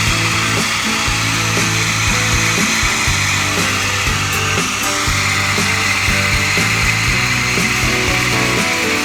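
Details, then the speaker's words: Jeep Grand Cherokee WJ 4.0 after new plugs and ignition coil, cold start: steady engine drone under loud hissy whir with rapid uneven ticking, quieter after 7–8 minutes running; owner suspects bad pulley bearings, possibly more than one, not confirmed. "Engine, after running about 7 or 8 minutes, got a lot quieter, but every time I start it up it's fairly noisy. I'm pretty sure I got a pulley. The bearings are going bad, something."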